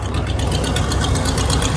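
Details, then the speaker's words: Camper driving on the highway after exhaust manifold job: even, steady low engine pulse maintaining speed with no ticking or puffing at the manifold; engine runs smoothly and sounds sealed. "she's maintaining speed she sounds good right she's good to go for a while"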